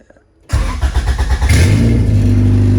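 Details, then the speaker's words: Race car after attempted fix of MAP issue, owner thinks an O-ring was the cause; out of gear after fuel pump prime: starter catches quickly, brief rev, smooth steady idle with even hum; normal start and idle. "that's how it should sound. All right, so I think I fixed the issue."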